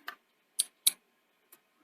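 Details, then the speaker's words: Sony 711B Betamax front-loading mechanism, checking loading switch adjustment: several sharp, crisp clicks as the tape goes in, both switches actuating properly. "yeah i can hear both switches when i push the tape in clicking"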